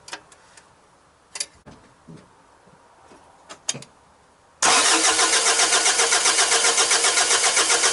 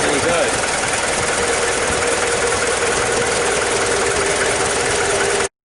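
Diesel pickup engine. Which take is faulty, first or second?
first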